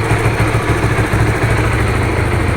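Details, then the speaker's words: Honda Supra GTR 150, fuel-injected, 2 years of use: a smooth, even idle with a steady low putter and no ticks or knocks. The owner says there are no odd noises; healthy engine. "Tuh, gimana teman-teman? Suaranya masih halus kan? Nggak ada suara aneh-aneh gitu."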